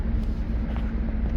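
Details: 2020 Chevy Blazer 3.6L V6 AWD after OEM coolant temperature sensor replacement and a battery disconnect to clear codes: steady low idle rumble with a faint constant hum, no knocks, misses or surges, at 200° operating temperature with AC on and no check engine light; normal.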